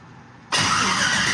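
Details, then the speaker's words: Race engine's first cold start after new head gaskets, modified Jegs fuel rails and a new intake replacing an old intake suspected of a flow issue; catches instantly and settles into a strong steady run, no stumble; normal cold start. "cold that's first cold start up it would never start that easy ever"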